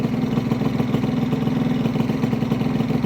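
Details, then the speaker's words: Honda Vision two-stroke scooter with a new starter jet, choke off after light revs, idling on its own at about 1500 rpm on the gauge: steady, even buzz with no hunting or misfires; best it has ever idled. "let go of the throttle and it's idling perfectly it's around, 1500 going on the gauge but it sounds perfect that's the best I've ever had it running on its own without me having to"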